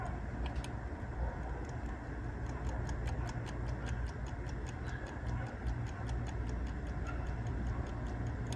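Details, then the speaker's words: 1971-1972 Mopar dash clock on bench power: light dry ticking, two or three per second, only while pressed by finger; stops when released, likely corrosion or dried grease keeping it from spinning freely, cause unconfirmed. "It's almost going on its own. When the fan shuts off of the power supply, you can hear the clicking."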